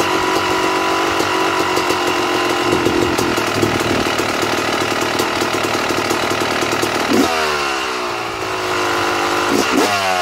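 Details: 2009 Yamaha YZ250 two-stroke, pilot air screw set correctly: crisp steady idle with fast even crackle, settling slightly lower after a blip; correct mixture, healthy idle.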